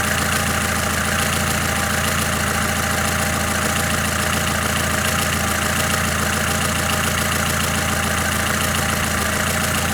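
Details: Lada Kalina engine warm at idle: light, fairly regular tapping about two per second over a busy engine note; runs unevenly when cold, with tapping; source not pinned down.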